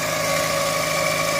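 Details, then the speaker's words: Chevrolet Optra 1.6 brought in for stumbling, surging idle and stalling, restarted after the timing was set and the front pulley refitted: steady idle with a constant hum, no jerks, dips or stumbles; normal idle. "แล้วมันก็จะนิ่งขึ้นนะครับมันจะไม่กระตุกไม่อ่าไม่สะดุดนะครับมันจะนิ่งไปรอบข้างก็คือสีเสื้อนะครับหรือเครื่องมีปัญหาอยู่นิดหน่อย"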